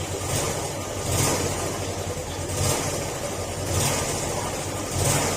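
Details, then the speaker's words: Yamaha Sporty motorcycle, stock engine with CVT pulley removed, revved in slow swells: harsh metallic clatter deep in the bottom end on each rise, apart from exhaust noise; owner says it used to be quiet, engine to be dismantled, cause unconfirmed. "an pansin niyo yung tunog ng makina kalampag siya bukod d sa tunog ng tambutso barahan mo yan yung tunog niya"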